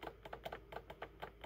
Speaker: can hear it clicking behind the seat behind that panel which also meant removing this whole panel and i have found it so that relay is constantly being energized